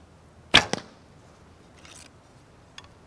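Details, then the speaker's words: Recurve bow with a new endless loop string: sharp crack on release then quick buzzing slap from vibrating limbs; later fixed with Velcro. "But it is, there's a lot of vibration in that. So hopefully you can hear that."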